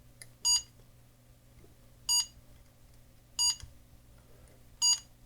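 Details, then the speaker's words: Casio pocket computer self-test with test wires touched together, reporting 8K internal and 32K option RAM OK, ROM checksum and screen test: four short identical high beeps about one and a half seconds apart; normal self-test sequence. "So it does a test. This doesn't see it either. Touch it again. It tells you the ROM checksum again. It's testing the screen."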